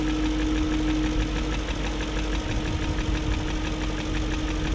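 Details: 2001 BMW E38 740i V8 idling after new timing chain, guides, tensioner and VANOS profile gaskets: light rapid ticking keeping pace with engine speed over steady idle; no codes; owner suspects VANOS unit, cause unconfirmed.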